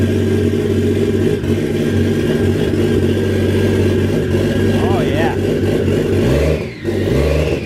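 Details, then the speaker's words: Used Toyota 1JZ VVT-i engine, sat for a long time with transmission fluid in the cylinders, first start after wiring: runs and revs cleanly with no knocking or tapping; normal running. "there we have it guys she came alive that's right get old 1j fired up sounds good"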